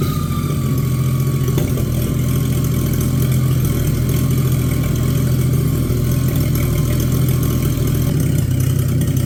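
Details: Abandoned, mouse-damaged Chevy 216 inline-six from a 1950 Chevy 1-ton truck restoration: deep, lumpy, uneven idle with a slight stumble as it settles. It is still using oil and smoking; rough running from a weak cylinder with worn rings.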